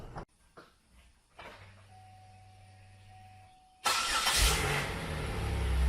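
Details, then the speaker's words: Copart Pontiac Grand Prix after new valve cover gaskets and upper and lower intake gaskets: starter whirs briefly, engine catches cleanly and settles into a steady, even idle with no knocks or misses; normal idle. "so I've had her running for a good minute and I remembered you tighten that up"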